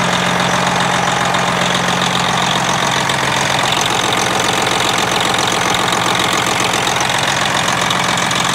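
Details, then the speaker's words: Freightliner Classic XL with a Detroit diesel, after a fuel-filter change (secondary instead of primary) that seems to have cured its sputtering. A smooth start and a steady idle at about 220 firing pulses a minute, with no stumble or misfire; normal. "I don't know about you, but that sounds pretty damn good if you ask me. That's one nice smooth start, knock on wood."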